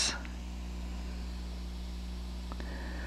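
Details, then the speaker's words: LM4610-based stereo preamp board with tone control, feeding a power amplifier: steady hiss over faint mains hum, rising as volume is turned up; a noisy preamp, the amplifier itself being silent with its input unplugged. "and also quite a bit of hiss have the volume turned down and as I turn it up a lot of hiss"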